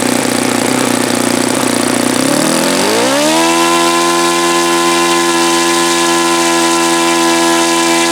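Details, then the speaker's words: Saito FA-72 four-stroke glow engine, first run, plastic-throttle-arm carb: rough uneven running, revs climb to steady high tone when fuel line pinched, then dies when it shouldn't; lots of raw fuel, owner suspects carb or own setting. "Pinch it and it dies. Pinch it and it dies. It shouldn't die."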